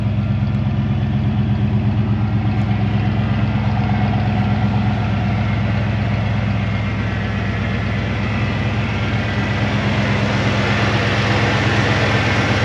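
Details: 1990 Ford F250, fuel-injected 5.0L V8, barn find unrun for a couple of years, running after petrol was added to the empty tank: steady, even V8 idle with a smooth low rumble, no knocks or misses; normal, healthy idle.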